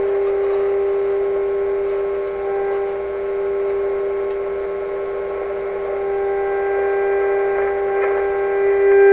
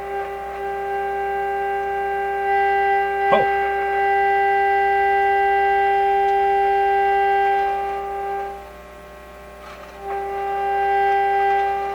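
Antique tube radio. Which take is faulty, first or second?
first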